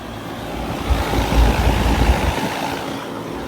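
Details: 2015 Carrier Comfort 4-ton heat pump damaged in a fire, no longer cooling: deep rumbling surge at startup, swelling then settling into a rough hum; unhealthy, labored startup.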